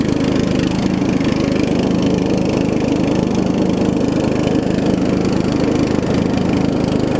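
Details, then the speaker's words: Murray widebody riding mower, 16.5 hp Briggs single, after new carb, fuel lines and valve adjustment: steady, even putter with no misses or knocks, idles down low; slight exhaust leak noted; normal running. "Good, it idles down too. It idles down real low. It idles down really low. Runs really good too."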